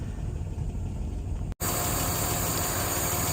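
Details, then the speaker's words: 1959 Alvis TD21 Series 1, heard under the bonnet, hot after a good run: steady, even low idle with the electric cooling fan whirring constantly on top; a normal warm idle. "You can hear the electric fan whirring away. As it's hot at the moment."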